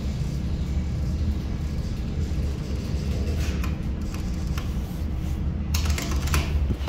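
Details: Montgomery relays at a university aerospace engineering building: sharp, irregular clicks over a steady low hum, bunching into quick clusters as contacts pull in and drop out. Normal relay operation.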